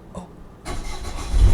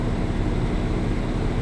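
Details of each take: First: Dynamax Europa 34SS Super C motorhome onboard diesel generator, mid-winter start after winterizing, with owners worried about gelled fuel: after cranking it catches into a low, rough rumble, struggling a little. Hard starting in cold weather. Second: Diesel generator on a Dynamax Europa 34SS Super C motorhome, run mid-winter after owner doubted anti-gel was run through it; heat running as load: steady, even low drone without surging or hunting. Carries the heater load smoothly.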